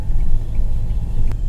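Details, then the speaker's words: Mahindra XUV500 over potholes after repair of a left-front suspension/steering knock (gud-gud noise over potholes): only low, even road rumble, no clunks or knocks; steering tight and quiet, complaint solved. "देखिए अब हम खड्डे में गाड़ी गुदा रहे हैं देखिए कोई आवाज नहीं है सुन सकते हैं आप लोग"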